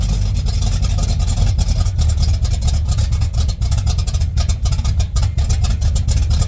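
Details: 1959 GMC truck with rebuilt Holley carburetor running from the freshly cleaned factory fuel tank: low, steady rumble with an even beat, no misses or stumbles; normal idle.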